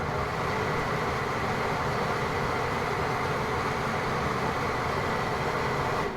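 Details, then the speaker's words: Basement bathroom exhaust fan, seldom used, after its failed timer was replaced: steady even airflow whoosh with no ticking, grinding or wobble until switched off; bearings in good shape. "And that's off. Still has a pretty good spin down time. Bearings are still in good shape."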